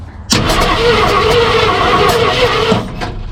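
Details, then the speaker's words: 1968 Ford F100 small-block V8, out of a junkyard after 12–13 years, first start attempt: starter grinds while the engine coughs and spits back irregularly without catching. Suspected wrong firing order; plan to reset from number 1 at top dead center. "Oh, it's spitting back like it. We got the firing order off. Firing order's not right."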